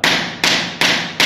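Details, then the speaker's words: Porcelain floor tile laid with mortar technique, tapped after bedding: four sharp crisp dead taps with no hollow ring, mortar fills all space under tile; solid tile, no hollow sound. "não há barulho de ouro no cérebro do piso porque toda a massa depois esmagado e arrastar ela preenche todo o espaço por baixo do piso"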